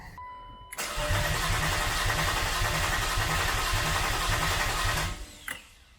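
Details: Turbo BMW E36 with a newly wired blow-thru MAF, a base tune flashed to the stock ECU and a recently replaced fuel pump. The starter cranks steadily for four seconds without firing. The owner suspected a fuel issue.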